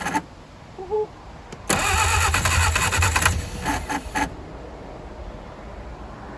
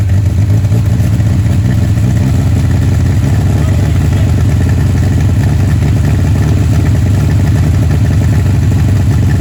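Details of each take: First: 1959 Reliant Regal three-wheeler, first start attempt in over 20 years with two-stroke fuel added for top-end lubrication, timing uncertain: cranking with uneven catches that never run; fires but won't run, flooded carburettor. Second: 1959 Reliant Regal three-wheeler, first run in over 20 years, on full choke that can't be adjusted, smoking, with oil pressure: loud steady low drumming, no misses or knocks over twelve seconds; running evenly.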